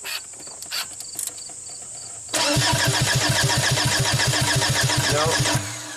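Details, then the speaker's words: 2005 VW Passat TDI diesel, rebuilt engine, crank no-start: steady starter cranking about 3.5 compressions per second, never catching; camshaft-driven tandem pump, spec 7–7.5 bar, shows no fuel at the cracked high-side test port. "i don't see anything shooting out so this pump is driven off of the cam shaft it's supposed to produce seven bar which in psi would be about so 14 times seven or at least 100 psi"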